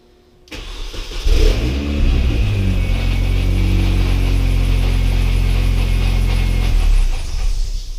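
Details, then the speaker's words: R53 Mini Cooper S after the supercharger failed and overheated the engine: cranks, catches and settles into a rough idle with loose, uneven rattle of supercharger gear teeth chewing themselves, likely at the water pump end. "If you could hear that rattling, that's the teeth of the supercharger just chewing themselves to bits."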